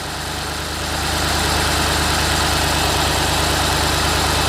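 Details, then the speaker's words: BMW E64 6-Series N62 V8, driven 500 yards with zero oil pressure after oil filter cover cracked, restarted after repair: picks up then holds a smooth even idle, no ticking or knocking; sounds healthy. "that sounds lovely by the way that's perfect haven't got any worries about that at all no weird noises or anything"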